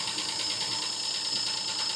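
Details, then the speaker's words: Jeep Wrangler at idle, rattling hard: a fast, sharp, steady metallic ticking from the upper engine, possibly a lifter or valvetrain fault; cause unconfirmed, so the oil filter was cut open to check inside. "Sounds like upper engine noise. So it could just be a lifter or something like that, right?"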